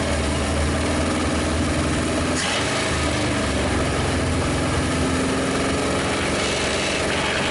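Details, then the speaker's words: 1956 Studebaker Golden Hawk first start, won't yet start on its own, compression untested: steady rumbling idle with no misses over a constant roar, revs quick; running on all cylinders, no major issues heard. "No real major issues that I heard. It revs quick. It was actually running on all the cylinders."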